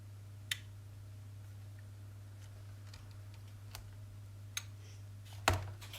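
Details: Tenda smart plug after replacing a swollen failed electrolytic capacitor (previously just clicked repeatedly, no power or Wi-Fi): over steady mains hum, a single crisp relay click when switched, no chattering; relay switching cleanly.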